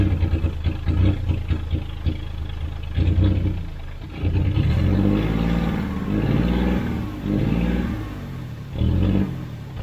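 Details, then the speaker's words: 1991 GMC Sierra 4.3 Vortec truck, abandoned, with a new distributor and fuel pump and fuel pressure now present. It catches and settles into a steady, even low idle with some revving. Runs smoothly. "it runs, the transmission pulls."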